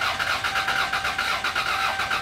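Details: Car that was running poorly, battery recharged an hour: steady rhythmic cranking with even compression pulses, never catches; fuel smelled at number one plug but no spark, later traced to distributor.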